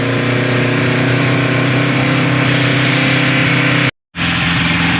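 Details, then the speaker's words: 1974 Kawasaki Z1 first start in years, started first try and fed from a temporary gas bladder before a heat cycle; smooth, even four-cylinder idle with a crisp, steady exhaust note and no misses or knocks. Normal idle. "Started first try, YouTube."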